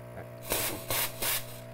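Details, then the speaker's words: Profitec Pro 600 Quick Steam Plus dual-boiler espresso machine, first use, steam pressure turned up to max: three short, strong steam-wand hisses over a steady machine hum, each cutting off cleanly; normal steam wand operation. "usually, if I do steam, I try to keep uh my pressure down a little bit lower just cuz lower pressure is a little bit more control when you're steaming."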